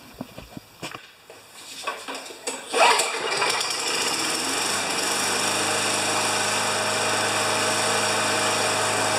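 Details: 29-year-old Rally electric-start riding mower after cleaning: a few clicks and a short crank, then the engine catches and holds a smooth, steady run with no misses; running fine.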